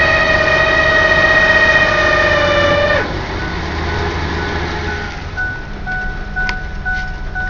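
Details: 1995 Ford Explorer 4WD, transmission rebuilt two years ago, not shifting into 3rd under throttle; loud steady high whine while stopped in gear, gone by 5–8 mph; owner suspects the transmission body, possibly the torque converter, no check engine light.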